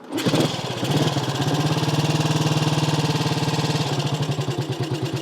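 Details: Small classic Triumph Tiger Cub single, cold, just finished: fuel on, carb tickled, no choke. Fires on the first kick and settles into a steady, even tickover around 90 beats a minute; previously too-high compression, slightly smoky; normal cold start and idle.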